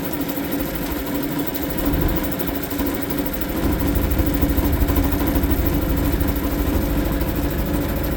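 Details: Suzuki DF 2.5 HP outboard, warm-started without choke in neutral after a no-start blamed on the low-oil sensor; settles into a fairly even idle, about three beats a second, no knock or stumble. Running fine.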